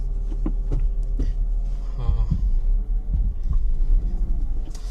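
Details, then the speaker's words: BMW E36 328i under light throttle: deep repeated thuds two or three a second over low engine rumble, rear differential moving back and forth despite bushings thought replaced; worn new rear diff bushing letting the diff clunk. "As soon as I apply a little bit of throttle, you can hear what is going on. It sounds like the rear diff is moving back and forth, but I told you I replaced the bushings, at least the front one and the rear one are good, so it's kind of weird."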